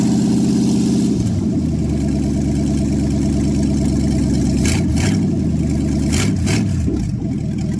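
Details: Cold start after sitting overnight in a closed shop, manifolds around 10°C; carbureted engine on open exhaust blips, then settles into a loud, even, lumpy idle with a steady beat and no tapping. Healthy normal idle.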